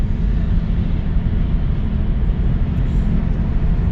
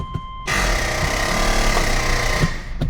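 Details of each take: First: 2006 Subaru Legacy 2.5 at highway 55-60 mph after an unseated axle was blamed for a rumble-strip noise: even low road rumble, no rhythmic drone; no abnormal noise. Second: 2006 Subaru Legacy 2.5 automatic, AWD but front wheels not turning in drive: harsh two-second grinding burst when shifting to park; front axle not fully seated in the differential.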